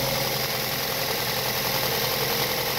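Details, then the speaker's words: 2006 Mazda 6 at idle on a cold day, engine cover removed, after treating noisy hydraulic lifters: even, steady idle with smooth hiss and no top-end ticking; lifter noise gone, engine healthy. "yeah no more ticking noise just a really good running engine right now"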